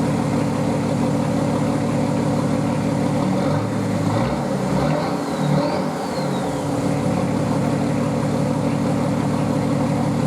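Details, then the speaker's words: Nissan Patrol RD28 diesel after wire tuck and glow plug push-button install, intercooler not yet fitted: steady, even clatter at warm idle with no misses or knocks; a mid-clip dip recovers smoothly. Normal warm idle. "And yeah, it's running, so I think tomorrow, or even now, probably tomorrow, I've been working all day, I'll throw all of the intercooler and all of that good stuff on and get it to a stage where I can start driving it around and tuning with it."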